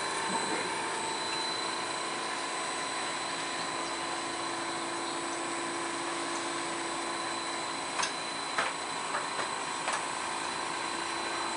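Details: Fujitsu split-system air conditioner outdoor condenser on a level steel frame: steady whirring with several fixed hum tones, no knocks, louder than advertised; factory suspects frame or installation clearances, unconfirmed.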